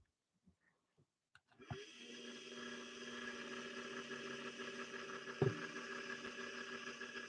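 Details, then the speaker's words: 1961 Singer 401A motor spinning up to a slow uneven whir with faint metal-to-metal rub at an estimated 40–45% power, up from the 30s; still struggling, motor to be pulled and torn down. "so i would guesstimate that we're getting about 40 to 45 percent of the motor power right now at that spin up it's gone up from we were probably in the 30s before you can also hear some metal to metal as well"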